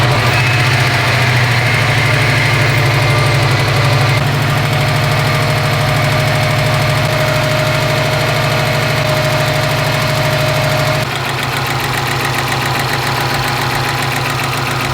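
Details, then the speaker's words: Subaru STI with brand-new engine that previously locked up, crank sensor plugged in: loud idle with a fast, uneven knock, about three a second, from the top end; head damage suspected despite a good leak-down test. "well you guys heard it my gut feeling is right this has got to come back out and even though it leaked down apparently leaked down just fine we have some damage in the head"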